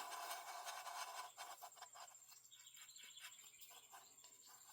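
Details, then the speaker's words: Stihl MS441 chainsaw bottom end turned by hand: dry, gritty scraping in uneven bursts; crankshaft itself good, but crank bearing toast, with hard spots and clicking; these tend to fail on the PTO side. "Oh yeah, toast. Completely toast. You hear that? You hear that scraping noise?"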